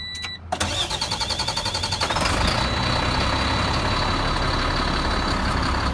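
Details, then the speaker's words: Sterling diesel truck with engine about 1.5 years old, after new main and ground battery cables and battery switch fixed intermittent no-crank/slow crank: brisk cranking near four compressions a second, faster than ever, then clean start and steady run. "this truck only got this engine maybe a year and a half ago and it spins over faster than it ever has that I've ever heard"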